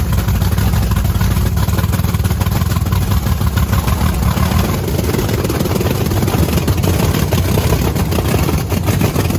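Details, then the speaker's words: Blower methanol Camaro with fresh plugs: loud, lumpy, stumbling idle. A heat gun shows two cold cylinders with the bigger rear nozzles; they suspect it's running very rich and plan to check the nozzles. Misfire; nozzles suspected, not confirmed. "yeah it's probably just super fat I mean we should probably check those nozzles yeah it's got the bigger nozzles in the back it doesn't sound right though definitely does not sound right"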